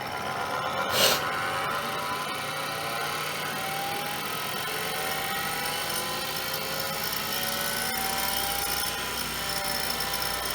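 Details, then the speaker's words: IBM PC AT 5170 hard drive with leaked clock battery damage, heads unparked, close-up: thin whine with raspy scratchy hiss; owner suspects something scraping the platters, possible head crash, unconfirmed. "that sounds bad like something scraping against the platters who knows if uh because i obviously can't park the heads so i'm gonna be super careful here"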